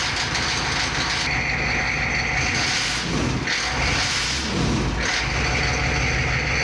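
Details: 1993 Chevy 2500 turbo 6.5 diesel after fitting a rebuilt DB2 injection pump, which replaced a faulty used pump that smoked constantly. Only a small puff of smoke at start-up. Steady, even idle clatter with no hunting or misfire. Normal, smooth, healthy idle.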